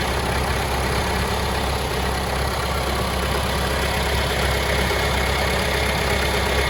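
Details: 2018 Mahindra Roxor turbo diesel after fixing the fuel filter housing leak, first start: steady, even idle with a regular low thrum about three beats a second, no misses or stumbles; runs healthy.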